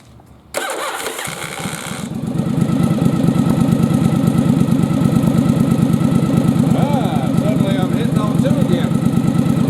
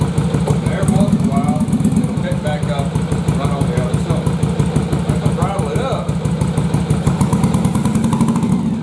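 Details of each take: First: Yamaha Virago bobber twin previously firing on only one cylinder; after fitting a good spark plug in place of a fouled one, engine catches and runs a steady, even beat on both cylinders while throttling up; normal running. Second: Yamaha Virago bobber twin at idle running on one cylinder, lumpy uneven beat with gaps where front cylinder drops out and stays cold; cause found to be a fouled spark plug that won't fire at idle, not the carbs.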